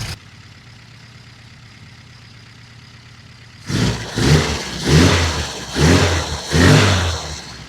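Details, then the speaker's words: Classic Mini just fitted with a larger carburettor replacing the HIF44 SU, first start with settings untouched: quiet idle then five quick uneven blips with soft lazy pickup; running quite rich, later leaned off and idle adjusted. "It was running quite rich, so I've leaned it off slightly, adjusted the idle, and it's uh running beautiful, as you can hear."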